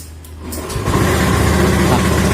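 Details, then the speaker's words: Honda Beat FI scooter CVT: engine revs into a coarse, droning hum growing with throttle, rough around 60 km/h and noisy off throttle; coming from the CVT or gearbox. "jadi dengan kedalaman salah seperti ini suara kasar di bagian CVT atau bagian gearbox nya"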